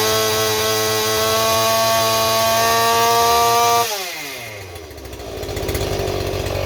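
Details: Stihl 028 chainsaw with blowback, after new crankshaft seals and a carburetor rebuild: steady very high screaming pitch, then drops off sharply as it dies; suspected air leak at high rpm behind the carburetor or intake boot, or the carburetor.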